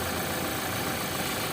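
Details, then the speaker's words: 2016 Toyota Hilux after replacing the failed alternator bearing and the worn pulley: even, steady idle with no whine, growl or rumble from the alternator, which is charging. Normal idle. "Quem viu o primeiro vídeo vai ver a diferença agora do motor."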